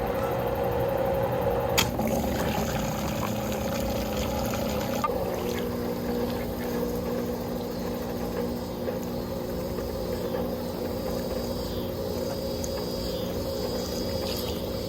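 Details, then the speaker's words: Old above-ground pool pump converted to a pond transfer pump for watering gardens, no filter fitted, reprimed via garden hose adapter: steady even hum with light watery gurgle, no knocks or grinding; primed pump running normally. "Yeah, and you can hear the pump. It sounds like it's working."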